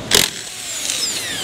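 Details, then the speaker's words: Inexpensive brushed-motor impact gun, removing wheels on a Chevrolet Tahoe 5.3: sharp burst then high thin whir sagging in pitch as it spins down; old-school brushed motor running normally, brushes smell of burning. "this motor you can hear it it has brushes inside it's a brushed motor Old School Technology"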